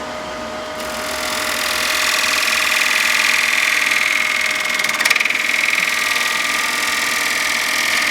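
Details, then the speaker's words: Wood lathe, cutting a natural-edge bowl with a bowl gouge, tool rest turned in for support; steady high cutting hiss with a rough rapid buzz riding on it, chatter from feeding too fast and the bevel balance not being right. "Now, do you hear that chatter? I'm going a little too fast, but I also don't have the balance right here."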